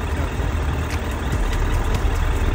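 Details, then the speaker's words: 2008 Suzuki GSF1200S Bandit carbureted four, warming up, idle slightly above 1,000 rpm: steady, even low rumble, no misses or knocks; normal idle. "Ну немножко прогрелся он вот работает ровно на холостых получается"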